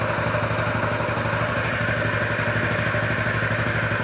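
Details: 2003 Honda Metropolitan 2 scooter, previously non-running, after throttle cable adjustment: small single ticks over at a quick steady beat, even exhaust note, light mechanical clatter; healthy idle, though throttle returns to idle slowly.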